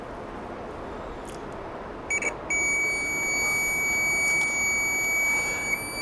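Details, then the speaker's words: Testing a loose buzzer on a Chinese multimeter's continuity circuit, with the board's own buzzer disconnected: a couple of short chirps, then a shrill, steady high-pitched tone holds without wavering; the buzzer is good. "ya sabemos Pues que está bueno porque está pitando vamos a probar aquí otro sabemos que está bueno"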